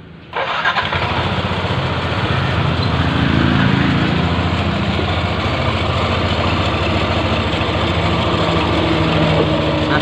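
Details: Yamaha NMAX scooter at startup and idle, camera held close to the engine: rough, rubbing, jingling rattle like friction inside, traced to worn transmission gear teeth.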